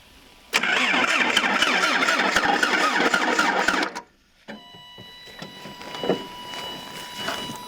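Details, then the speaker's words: 1977 Toyota Celica GT liftback, parked about 20 years, some gas added: starter spins the engine steadily with even compression beats but it never fires; spark plug wires were left disconnected, and plugs possibly oil-fouled. "That doesn't sound very promising. I mean, the plugs are probably fouled from the oil that I put in there, but it'll start eventually."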